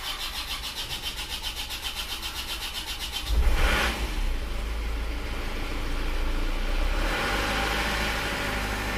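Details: Isuzu Panther automatic diesel, 290,000 km, after replacing piston rings and valve seals and servicing radiator, cold: steady cranking about three seconds, then fires cleanly to an even idle; normal start.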